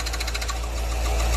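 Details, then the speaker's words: Fiat Uno with freshly rebuilt engine and a brand-new clutch kit: pressing the clutch pedal brings a fast, gritty rattling whir over the quiet engine hum; gearbox removed to check, pointing to a worn clutch release bearing. "pois bem pessoal o que que isso resultou tirar a caixa né precisamos conferir o porquê desse barulho quando você pisa na embreagem dá todo aquele aquele barulho ali complicado né"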